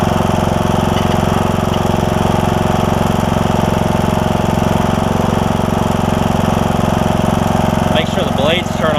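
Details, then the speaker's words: John Deere E100 mower, 17.5hp Briggs, 80 hours, after new camshaft fixed broken compression release and hard starting: steady, even drone with constant beat and no misses or knocks; starts right up and runs healthily, oil burning off muffler. "all that oil that's going to burn off the muffler inside the muffler and all that stuff sounds good though start it right up too so that's awesome"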